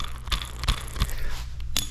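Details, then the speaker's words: Rusty old nylon garage door roller spun by hand gives dry, gritty crunching and uneven scrapes, barely turning; worn rusty bearings, replaced with water-sealed nylon rollers. "You can kind of see, they get rusty. The bearings get noisy."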